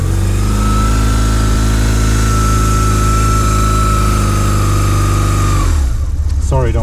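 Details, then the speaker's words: 2001 BMW R1150GS boxer twin with 35k miles, which the owner says has no issues: a deep, even throb held steady for several seconds, then dropping away, with no knocks or rattles. Normal engine running. "don't want to torture the engine here. Just want you to hear how that sounds like."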